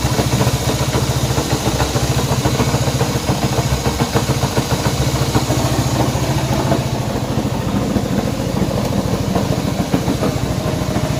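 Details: Honda CB190R motorcycle engine noise at idle: steady idle with a rapid uneven tapping about three per second over the exhaust beat; abnormal engine noise, source undetermined.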